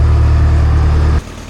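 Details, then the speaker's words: Old Grove crane with a Detroit diesel, sitting 10+ years, restart with oil pressure showing: even, steady low idle drone with no knocks or misses, dropping away after about a second; runs smooth and healthy, normal idle. "Like you shut it off yesterday. Look at that. We got oil pressure and everything."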